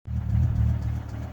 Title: BMW M5 E60 knocking noise